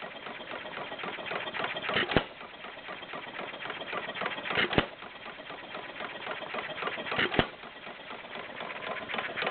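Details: Warm Stover CT-2 hit-and-miss engine, 2–2.5 hp, choke fully open, about 500 RPM by tachometer: sharp firing bang about every two and a half seconds, coasting quietly between, very little smoke; healthy self-governing running.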